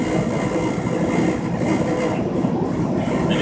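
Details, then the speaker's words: Truck at highway speed in a passenger-to-driver crosswind: steady low buzz under road and engine drone as the cab leans; air leaking past the door seal is suspected. "And if you hear that buzzing noise, unfortunately, that's when this truck gets a certain crosswind, a headwind that's kind of blowing from the passenger side to the driver's side. It leans the whole cab over in a little bit and makes that awful humming noise."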